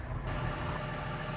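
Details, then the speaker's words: Excavator that wouldn't start with an EPOS communication error on the dash (suspected bad EPOS). After the EPOS was set up by laptop, it's back running with a steady, even diesel rumble and no misses, knocks or surging. Normal running. "There we go, back up and running. Happy days."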